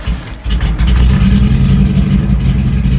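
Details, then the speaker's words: Honda CRX with aggressive cam, new spark plugs, suspected dead O2 sensor, warmed up a little: lumpy uneven idle with irregular stumbles about three times a second, then stalls; idle misfire, owner suspects not mechanical, cause not confirmed. "Well, it warmed up a little bit, but even at idle, it's misfiring. Let me show you."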